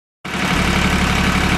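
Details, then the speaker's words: John Deere 950 diesel tractor that previously only clicked repeatedly and wouldn't start, now running: steady even idle thrum with regular firing pulses, no misses or knocks; healthy idle. "hello attacker people you hear that beautiful stand that's the sound of a tractor running"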